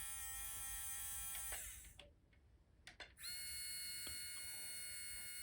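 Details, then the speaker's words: Stock brushed motor from a Mini-Z 4x4, run on a bench power supply at 4.8 volts, held in fingers: steady high, thin whine with even tones, briefly cutting out and returning unchanged; normal motor whine, louder than the PN Racing 90-turn replacement. "i don't know if you can detect it on camera but uh to my ears this sounds significantly quieter which is going to be pretty nice too"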